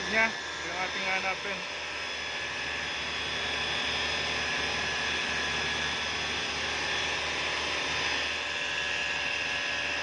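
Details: 2013 Chevrolet Malibu with an even, droning hum and a high steady whine running unchanged over the engine; humming noise, source unconfirmed, possibly timing chain.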